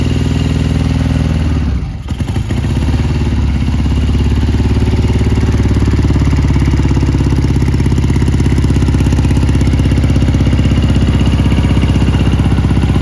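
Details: 1977 Triumph Bonneville T140 750cc twin, US import, 8,138 miles, hot-wired without key: one kick catches it, then a steady, even twin-cylinder idle with no knocks or misses; running healthy.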